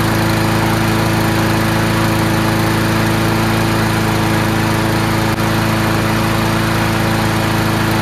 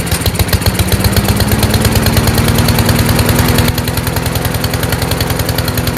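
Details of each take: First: Free garbage-pick Troy-Bilt TB240 Honda-powered self-propelled mower after carburetor clean: strong constant hum at fixed speed, no surging, hunting or misses; runs really well now, normal running. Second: Troy-Bilt TB240 self-propelled mower, Honda engine, after carburetor cleaning, restarted warm with the automatic choke still closed; chugs rich and uneven, pitch creeping up, then changes abruptly as the choke opens a few seconds later, with a backfire. Choke sticking closed.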